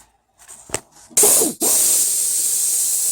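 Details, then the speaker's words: 1996 LandCruiser 80 series 4.5 petrol, A442F automatic, torque converter clutch solenoid bench air test. Unpowered, air flows through (normally open), then switches off and on; no leaking at 10.4 to 10.5 V. "Normally open as well. Off, on, off, on, off, on. Alright, well, initial tests, they're not leaking."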